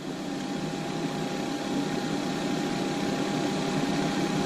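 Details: Alliance Avenue 32RLS fifth-wheel RV bathroom roof vent fan (Airxcel MaxxFan Mini listed), retested after the completed repair: a steady mid-pitched whir with no rubbing, ticking or wobble; running smooth.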